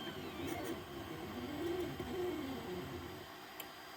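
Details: 3D printer after nozzle change and bed re-levelling, earlier prints jammed and broke filament: soft stepper whir sweeping in pitch as the head moves, even and unforced; printing normally.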